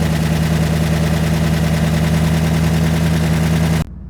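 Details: Rebuilt engine on first start after reinstallation, coil pack not yet bolted down and cam sync not cinched: steady, even low idle with no knocks or misses before shutoff; runs well, though the air-fuel ratio reads 11.1:1, rich on the driver's side.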